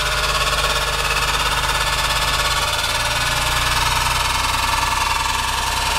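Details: Engine with good compression, correct timing and VTC solenoids working correctly: a loud, harsh, rattly clatter at about 200 per minute over the idle. An abnormal noise, source unknown.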